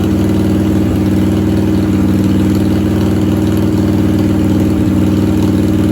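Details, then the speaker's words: 1997 Harley-Davidson Heritage Softail Classic, 80-inch Evo V-twin, newly fitted S&S Super E carburetor: fast, steady lope of about three beats a second; high idle, idle screw set about half a turn too high. "As you can see, I got a very high idle, so I have to adjust it. See if I can get it down a little bit."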